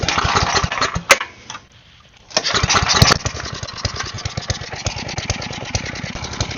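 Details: Side-shaft small engine for a go-kart after fuel line repair, running on a 2x4 with air filter off and smoking: catches, dips almost to a stall, then settles into a steady quick-firing run; seems to run fine.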